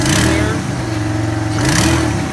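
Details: 2002 Honda Odyssey revs briefly with a loud, raspy exhaust note; front exhaust pipe replaced two months earlier found broken, caused by worn engine mounts, which need replacing.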